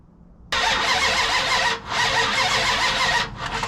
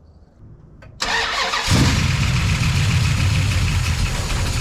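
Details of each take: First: The General's V8 cranks steadily for about three seconds but never fires: no spark; jumping the pickup wires produces a spark. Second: The General's V8 after plugging in the correct ignition box: it catches at one second and settles into a steady, deep, even idle with a slight lope; lifters were noisy at first.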